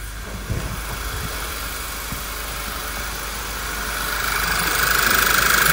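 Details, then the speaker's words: VW Passat B7 1.8 TSI, 202,182 km, after fitting a hose and the coils: heard from outside, even steady idle with soft regular tick, no stumble or shake; normal idle. "он сейчас работает четко его не колышек не дергается идеально работает"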